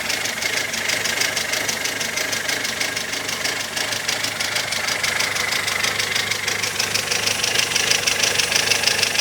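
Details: Mazda 626 at smooth idle, listened to from below: steady light ticking about three times a second, possibly a hydraulic lifter, source unclear; oil-like moisture seen between engine and gearbox.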